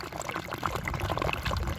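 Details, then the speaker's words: Newly built, media-filled system with a bell siphon (inner pipe shortened, rock added on top after it floated): irregular gurgling and glugs as it sucks air near the end of its drain; the siphon is cycling normally. "Oh, listen to that. It sounds like it's getting ready to, it's sucking air, so"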